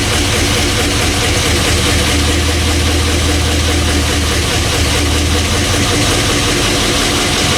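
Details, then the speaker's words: 1984 K20 with LS swap (5.3 V8), first cold start after the swap: uneven idle with light quick ticking over the low rumble, lifters clattering; owner calls it typical 5.3 lifter tick, normal when cold. "there it is it's running it doesn't sound very good right now but you know it's cold i can hear the lifters clattering but that's just normal well you guys heard it run sounds okay has the typical 5'3 lifter tick"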